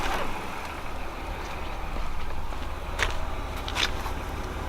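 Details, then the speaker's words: BMW E46 wagon daily driver after new spark plugs (old plugs black, suspected fuel in oil): low steady even idle with a couple faint clicks, running quiet and normal for now. "sounds normal right now running super quiet like it should"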